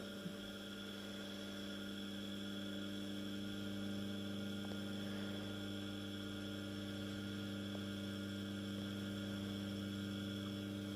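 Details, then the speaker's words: Small single-phase 230 V AC induction motor, no load, fed from a variac: steady even mains-pitch hum with fine overtones and faint casing buzz, slight vibration but no knocks or rubbing; normal motor hum. "I'm definitely on the floor I'm sensing a bit more vibrations but the audibility of the drive the motor is pretty much the same"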